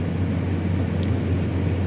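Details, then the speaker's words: Toyota Sequoia V8 started for the first time after valve cover gasket replacement and brake caliper work: steady, even low idle hum with no skips, ticks or rattles, no check engine light; normal idle. "start it right up no issues at all sounds good no check engine light indicating that i left something unplugged accidentally so everything's looking pretty good"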